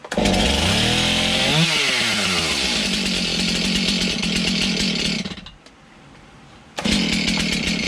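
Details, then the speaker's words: Stihl MS291 chainsaw after service with new bar and chain kit, started after earlier sputtering: sharp high two-stroke scream sweeping to full revs, briefly dropping to idle, snapping back cleanly; now a runner that sounds pretty nice. "let say we'd have a runner say we got a runner sounds pretty nice"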